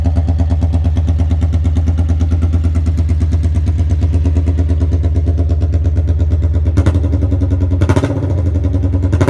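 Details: 1982 Honda Magna V45 VF750C warmed up after an oil change, choke zip-tied open: deep, loud, choppy low-pitched idle pulsing about three beats a second with no muffling, running without a muffler.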